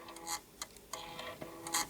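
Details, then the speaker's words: Original floppy drive on an Atari ST STFM board, switched to drive A and seeking to boot a disc: irregular sharp clacks and bursts of ticking as the head steps, terribly loud clunking; drive needs maintenance but still boots. "I need to do some maintenance on this drive terribly loud clunking but there we go it's actually tried to boot off that disc"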